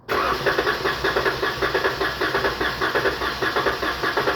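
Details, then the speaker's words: 2019 Dodge Charger 3.6 with a P0302 cylinder 2 misfire and power loss: the starter cranks with a steady, even chug during a compression test on cylinder 5, which reads almost 150, a healthy result. "un momento llegó un momento en que ya no subió más la compresión"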